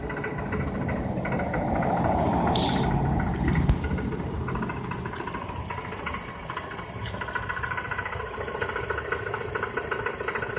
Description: 1999 Toyota Corolla - rattling timing chain